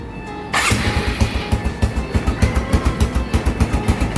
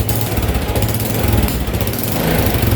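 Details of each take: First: First-generation Honda Supra X 125 electric start: brief crank, fires at once into steady even single-cylinder putter about three and a half beats a second; very responsive starter, engine smooth with no odd noises. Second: First-generation Honda Supra X 125 throttle blips: raspy, puffing exhaust note rising and falling; reviewer suspects a leaking exhaust, but engine sound still smooth with no odd noises.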